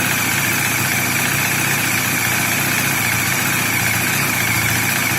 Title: BAJAJ DOMINAR ruido EN EL MOTOR ES COMPLETAMENTE NORMAL, NO SE ASUSTEN Y DISFRUTEN ESTA MARAVILLOSA